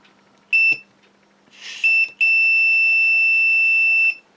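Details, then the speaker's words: Multimeter continuity test on a quad's new flight control board with a third ESC removed: brief then sustained high-pitched beep about two seconds; short still present, remaining ESC suspected. "we still have the beep all right the continuity signal coming through"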